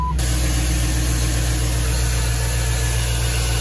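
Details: Jeep with late-90s/early-2000s LS Vortec engine, return-line vacuum-operated fuel pressure regulator, at idle with about 18 inHg vacuum and about 50 PSI fuel pressure: steady even low rumble, no knocks or misses; idles cleanly.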